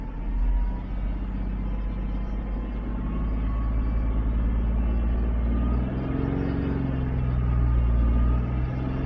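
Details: Jeep 3.8 engine running: faint mid-pitched whine over low engine rumble, shifting slightly with revs; source of whine undetermined.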